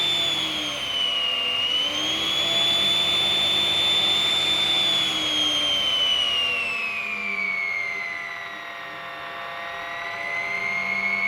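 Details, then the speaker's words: Ten-year-old snail-shell blower fan now makes a loud, jet-like turbo whine that rises and falls with a steady pulse; an impeller rub is possible. "i've got a turbo fan everyone it sounds like a flippin jet engine"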